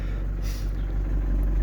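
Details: Camper van engine idling after restarting on a newly fitted battery, following a battery fault; owner still thinks alternator or ground fault possible. Low, steady idle with no misses or knocks. Normal idle.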